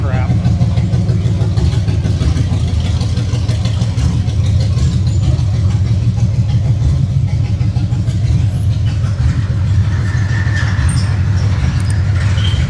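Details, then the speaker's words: 1966 Chevelle V8 with open headers, just back on the road: loud, lumpy idle with an uneven stumbling beat; one cylinder missing, a wire off at the header suspected, not confirmed. "Oh, it's for sure missing. Must have a wire on the header, >> I think."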